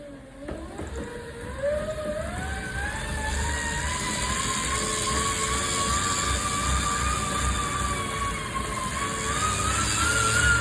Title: Tacx Flow Grinding Noise